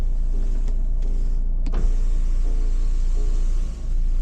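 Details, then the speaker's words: 2019 Nissan X-Trail T32 facelift, 2.0 dCi 177 hp Xtronic, Tekna: steady, even electric motor hum as the panoramic glass roof moves, no hesitation or grinding and no leaks; sunroof motors healthy. "Както се вижда, моторчетата работят без проблем. Няма някакво забавяне, както и няма течове."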